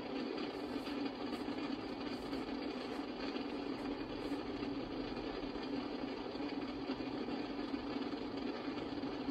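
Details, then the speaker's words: Icom IC-746 Pro, intermittent fault on 2 m tuned to 162 MHz: flat, steady hiss with faint buzz and no weather station received, S-meter pegged at full regardless of squelch; owner suspects dirty DC, voltage, or bad components. "sorry about the noise there's too much noise you get the point but uh let's see here 162 yeah i don't hear the weather station like i'm normally able to"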